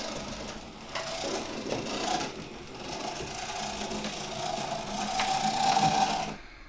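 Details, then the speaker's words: Oxford Rail Class 415 Adams Radial 4-4-2T model loco, second-hand with noisy poor motor before service, through points: whirr and wheel rattle surge unevenly then stop as it stalls; track or loco fault uncertain. "And we've got a bit of a stall there. And is that my track fault or the loco?"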